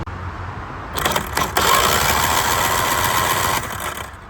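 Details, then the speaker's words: Starter on a 25hp Mercury two-stroke outboard, spark plugs removed so no compression, solenoid jumped with jumper cables: fast, even, free whirring crank. The starter is healthy; the earlier click-only no-start points to a bad starter solenoid. "So I've got the plugs out, so it won't have any compression, so it'll be real easy to turn over."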